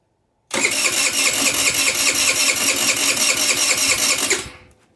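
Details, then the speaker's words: GY6 50cc/150cc scooter with clogged pilot jet: about four seconds of fast whirring starter cranking that never catches; won't start unless throttle pumps accelerator pump, then won't idle. "so today we have a clogged pilot jet a GY6 same GY6 50150 it'll be the same thing same symptom so when I go to crank it won't"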